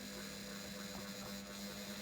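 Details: English Electric 2800 rpm spin dryer, new, on its second attempt after the load was re-evened because the first spin was unbalanced. Quiet, steady motor hum holding an even pitch, with no thumping or knocking from the drum; the spin is running balanced.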